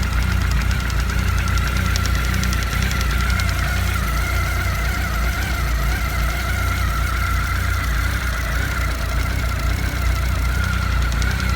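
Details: Honda CB1300, cold idle after coolant change: dull, uneven knocking from below near the water pump at about two to three a second; pump parts fine, owner suspects an air lock let the pump shaft rattle in its factory play with the oil pump shaft.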